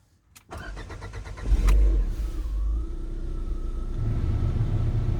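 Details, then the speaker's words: Cold start of a 2020 Lada Vesta after an engine overhaul at 36,220 km, done after oil burning and a burnt valve blamed on catalyst removal and undersized pistons. Brief even cranking, quick catch and flare, then smooth steady idle, no knocking; normal. "так на холодную должен работать двигатель 1 и 6 на месте которым все в порядке"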